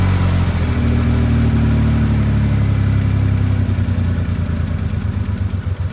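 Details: Triumph TR6: a steady cranking churn with a few uneven catches toward the end that never pick up. Cranks but won't run.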